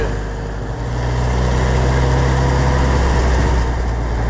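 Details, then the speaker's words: Oliver 1250 (Fiat 415) tractor diesel, test run after reassembly, jump-started: steady, unchanging beat with no speed correction; good oil pressure but the governor isn't working. "it's got good oil pressure but I ain't got no good governor"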